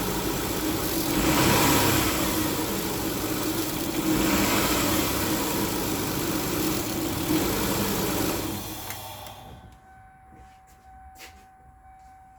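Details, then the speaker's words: Kia with misfire codes P0301, P0303 and P0305, cold start with brake cleaner sprayed into the intake to test for a fuel problem: coughs and labors unevenly for about eight seconds, then stumbles and dies. Cause not yet confirmed. "start off by saturating the intake with brake cleaner and maybe if it is a fuel problem then it's not going to stall this is a cold start currently"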